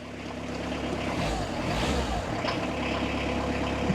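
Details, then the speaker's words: Citroen Berlingo non-turbo diesel, started after waiting for glow plug light: settles into a steady, clattery low idle with an even beat and no misses; typical healthy non-turbo diesel. "The unmistakable sound of a non-turbo diesel Citroen engine."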